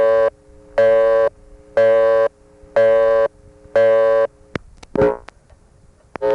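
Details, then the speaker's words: Morgantown, Pennsylvania ESC (Conestoga Telephone), August 1976, all 7 digits dialed to Tara Hill 445, recorded without attenuation: loud reorder tone bursts about once a second, half a second each, cut by clicks, marking a failed call. "This time I'll dial all 7 digits so you can hear the reorder without attenuation."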